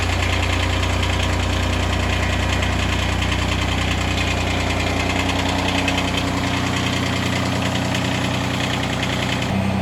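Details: Kubota diesel tractor on a very cold day, started after about 5 seconds of glow plugs with no throttle adjustment, recorded a couple of feet away. Even clatter at roughly three beats a second, steady and unlabored. This is a normal cold idle before raising rpm.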